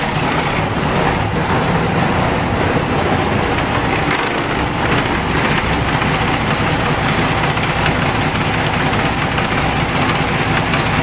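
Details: Ford 9600 diesel tractor, barely run (134 hours in eight to ten years), started after standing: big diesel ticking over at steady, even idle with no knocks or misses; running fine.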